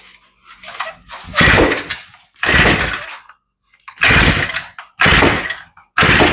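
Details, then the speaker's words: Older, long-sitting Shindaiwa two-stroke trimmer, fuel lines pumping fine, primed and choked, possibly with a new spark plug: repeated pull-cord bursts that almost kick but don't run. Carburetor rebuild is next. "well we almost got a kick on it oh so she's close but she's not running"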